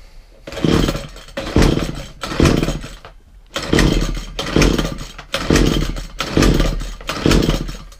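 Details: McCulloch strimmer with a suspected carburettor diaphragm fault, choke on after priming the carburettor: repeated pull-start bursts about once a second. It coughs briefly on each pull but never catches, so it's hard to start.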